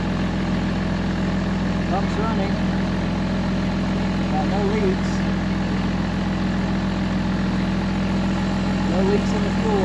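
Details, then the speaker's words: 2005 Ram 2500 diesel idling after FASS lift pump and fuel line replacement, no leaks; low, steady even clatter with no miss or surge, left running to clear up: healthy idle. "just going to let this run for a little bit see if I can clear up the engine some sounds good running pretty even"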